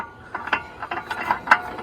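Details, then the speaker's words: 2012 Chevy Volt suddenly clunked when put in drive and kept rolling in park, so a bad transmission was suspected; with the car lifted, turning the front wheel by hand gives irregular clunks from a broken outer CV joint on the axle. "you hear this clunking sound and this is Ty this is the type of sound that it was coming um when the car was put into drive and my first thought was um the transmission went bad"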